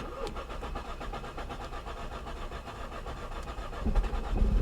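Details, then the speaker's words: Salvage auction car with a confusing start procedure: slow, uneven cranking churns for several seconds before finally catching; reluctant hard start, after which the car flags a transmission problem. "Boy, she didn't want to start, did she?"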